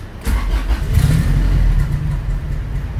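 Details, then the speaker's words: Honda B18C1 turbo EG hatchback on dyno, with hot intake temps: engine fires into a low, lumpy near-stalling idle with idle air control valve unplugged; owner suspects a leak caused the very low idle. "our Idol is super super low let me plug that idler back in"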